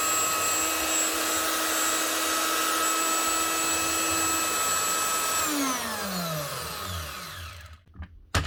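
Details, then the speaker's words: Virutex FC116 door morticer from 2012 after motor bearing replacement. Smooth, steady high whine with no rattle or vibration, then a clean spin-down; the bearings sound healthy. "No vibration, and she sounds a lot smoother."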